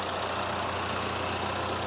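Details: VW Caddy with swapped-in 2.0 TDI common-rail diesel replacing the 1.6, first start: steady, even idle with low hum and cooling-fan whoosh over the top; runs smoothly, nothing knocking.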